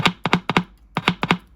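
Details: Arvin 257T tube radio, power unplugged, battery briefly touched to the speaker leads: sharp paired clicks as the battery connects and disconnects; the speaker and output transformer work fine.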